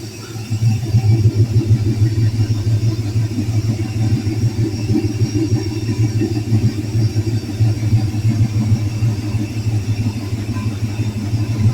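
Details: Vehicle started after alternator install and front wiring work: deep, slightly loping low rumble, steady at idle without stumbling or knocking; idling healthily.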